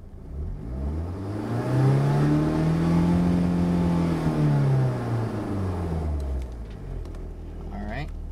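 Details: 1991 BMW E30 318is, M42 1.8 L DOHC four-cylinder with new coils, plugs, injectors, cam sensor, O2 sensor, 93 octane chip, revved in neutral: sweeps up and down with ragged stutter near 5,000 rpm, hesitating like a rev limiter, cause unknown.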